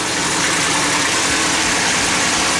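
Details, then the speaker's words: 1200 hp twin-turbo LS Fox-body Mustang, water pump refitted and coolant bled, Holley EFI: steady even idle with much hiss and whoosh over a light low pulse, throttle percentage set to four; pressure about 45; normal idle. "good dropped it down to four on the throttle percentage that seems to be working a lot better now oh yeah everything's look good"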